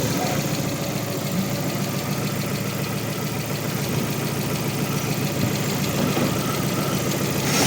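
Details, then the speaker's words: 2021 Lada Vesta 1.6, 69,000 km, during free revving. A fast rattling knock at about three a second rides over the idle, grows louder as the revs rise, and the engine runs unevenly. Timing belt or water pump suspected, possibly a timing belt that jumped slightly. "И вот этот вот стук - это либо ГРМ, либо помпа."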